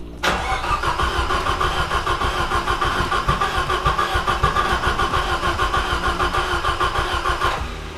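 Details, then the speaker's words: Nissan S13 200SX with a CA18DET engine whose head studs were found under-torqued: the starter cranks evenly, about three times a second, for seven seconds and never catches, with water everywhere. Suspected blown head gasket; cranks but won't start. "It looks like a blown head gasket, basically, just with water everywhere."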